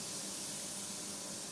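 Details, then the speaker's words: iM3 machine startup with main pressure at 110 and the low-pressure gauge slightly below 90: a soft, steady hiss as air supply is switched on and the bottles pressurize; normal, nothing leaking or cycling. "You can hear the hissing sound, right? It means air pressure is It's going in, supplying, right?"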